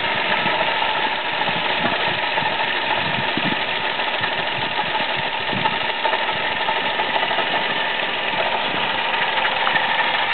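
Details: Uneven rattling tick with a faint rumble at idle from a Toyota Aygo engine with a worn water pump; at first heard only when cold, not warm, then more and more often until the mechanic found it.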